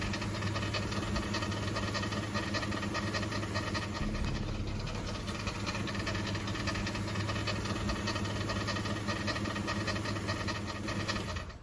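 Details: Dodge Chrysler 3.3 L engine at steady idle: a fast, uneven ticking knock from a dry, gritty belt tensioner pulley bearing; belt dressing sprayed on pulleys quieted it briefly.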